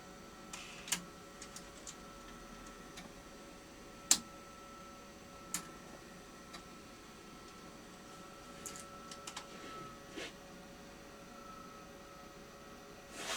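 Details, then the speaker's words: JVC BR-D85E Digital-S professional video recorder in diag self-test mode: scattered clicks over a faint electronic hum as it tests the motors and fails; the take-up spool doesn't spin, a failed AN3834K reel driver chip is suspected. "So, let's plug it all in and we'll show that it fails to complete that test. And it will you'll hear some various clicking as it tests all the motors."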